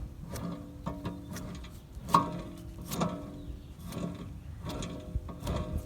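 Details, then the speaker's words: 2007 VW Jetta GLI 2.0L turbo, about 250,000 miles, removed rear hub turned by hand: uneven ratcheting crunch with sharp clicks every turn as the bearing has broken apart inside; failed wheel bearing. "that is the sound of a bad bearing anyway just wanted to do that little addendum for you have a great day"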